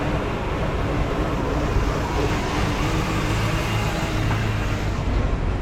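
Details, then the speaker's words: 1995 Mustang GT V8 with a deep, uneven, lumpy rough idle that returned weeks after replacing the idle air control, throttle position sensor and PCV valve; owner determined the distributor was the cause and replaced it. "So the car is having a hard time running again."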